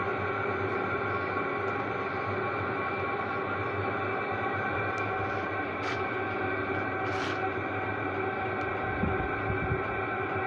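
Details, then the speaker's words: Chinese diesel parking heater turned to level 3 (half): steady, even hum with constant fan tone, no surging or popping; medium temperature and fuel use, exhaust still very hot, running smoothly. "so that's a medium temperature medium fuel usage the exhaust is still way hot and it's still putting out pretty good heat here"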